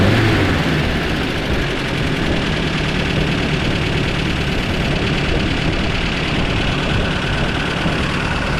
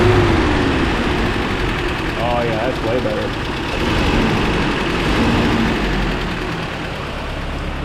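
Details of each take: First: 1994 Toyota Pickup work truck on a chilly day, test drive after new plugs and wires (fuel filter not yet changed): rough lumpy running at full throttle, still missing terribly with dropped firing pulses. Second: 1994 Toyota Pickup work truck idling after new starter and new fuel filter fitted: steady idle, slightly uneven in places but no obvious stumble or knock, noticeably smoother; normal idle, not yet road tested.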